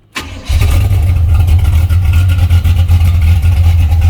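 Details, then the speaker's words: 1981 Camaro V8 after top-end swap (roller cam, aluminum heads, new intake), at operating temperature, oil pressure 35-40 psi: hot restart, quick crank, catches immediately into steady, deep, even rumble; normal warm restart. "oil pressure's good. About 35, 40 pounds up to temperature. Shut her off. Right back up."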